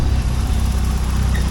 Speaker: Sounds really good. Exhaust sounds good too. A little bit on the deep side.